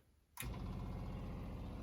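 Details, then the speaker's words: Replacement Seaflo 33 series water pump, recorded outside a closed cabinet: a soft, steady low rumble with even pulsing instead of a high-pitched scream, filling the accumulator quickly; normal, quiet operation. "it seems like the sound is actually much lower frequency than the other one. The other one sounded like a high-pitched screaming banshee. Where this one's kind of a low rumble."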